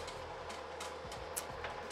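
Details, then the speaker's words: Kenmore electric dryer running: steady hum with rhythmic sharp clicks about three a second, from a worn drum belt with cracks or missing pieces of rubber. "A rhythmic clicking noise can sometimes be caused by a worn out drum belt. It sometimes sounds like this."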